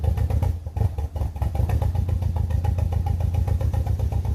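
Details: BMW E46 318i N42 engine at idle with one dead ignition coil; low thump stumbling and lurching unevenly instead of a steady beat, a misfire.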